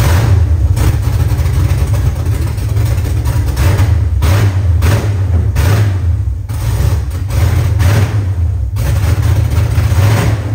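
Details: Nissan S14 LS V8 swap running after first start, no exhaust fitted, oil pressure not yet correct; loud open-pipe burble at idle with repeated blips rising and falling cleanly, no misfire or knock.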